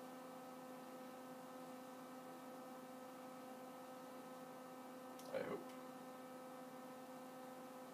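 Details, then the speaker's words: Z-Tech Lt. Kernal Commodore 64 hard drive powered back on: steady low cooling-fan hum, no platter whine or seek clicks, one brief knock midway; drive fails to spin up, cause unknown. "for the moment turn this back on and listen to the cooling fan and not much else at some point i hope this is working"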